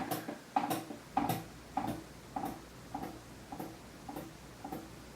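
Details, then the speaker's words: Fasco Charleston 5-blade ceiling fan running on the floor at medium speed, warped flywheel: sharp ticking rattle about twice per second with shaking, worst at medium speed; cause not confirmed. "And now medium speed. It's now making shaking sounds and shaking. And medium speed is the worst."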